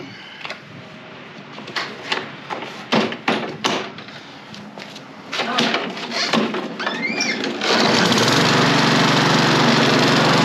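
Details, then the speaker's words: Toro Recycler mower, Briggs and Stratton engine, final test after clearing jammed stick from drive and cleaning carburetor: one-pull start, settles into steady even drone with no misses or knocks; repair done, runs healthy. "Beautiful one pole start. Customer just pulled up. The repair is done."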